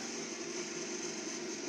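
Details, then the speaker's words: Refrigerator compressor started after full wiring, meter reading about 0.45, sound heard at the freezer; quiet, steady hum with faint high hiss and no clicks, rattles or stalling, compressor running normally. "ये compressor start हो गया है। या आप आवाज़ भी सुन सकते हैं, ये देखिए फ्रीजर में आवाज़ आ रही है, और ये जो मीटर है ये 0.4.5 बता रहा है, यानी कि कंप्रेसर हमारा स्टार्ट है।"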